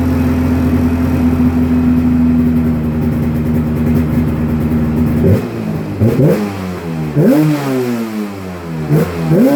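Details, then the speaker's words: 1996 Polaris XCR 440 Special with EFI conversion and XCR pipe (described as on a 500 twin), just pull-started: steady fast two-stroke idle, then sharp, clean, snappy throttle blips; runs healthy. "Wow. This thing runs absolutely mint for 240 bucks."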